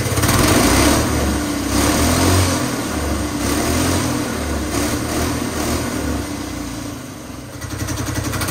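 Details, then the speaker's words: Small petrol engine converted to hydrogen with water injection, running on petrol with hydrogen reduced to about 3 psi through a modified carburetor: fires up, holds a busy, fairly even beat around four per second with rev swells; runs fine. "So, running it on petrol is nothing special and it should run absolutely fine."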